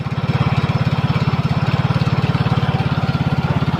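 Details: Yamaha Mio Soul GT fuel-injected scooter that wouldn't start, after loosening over-tight valve clearance: even, steady single-cylinder thump at about 3.5 beats a second with no misses or knocks; normal idle.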